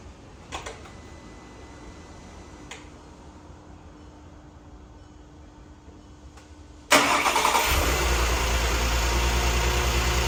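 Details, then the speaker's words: 2013 VW CC 3.6 direct-injection engine after rebuild, first start: a few light clicks from throttle-pedal reset, then fires instantly and settles to a smooth, even idle, purring; healthy, WD-40 burning off. "It's just that initial start. Listen to that. Direct injection. Oh, it's purring. Oh, she's purring."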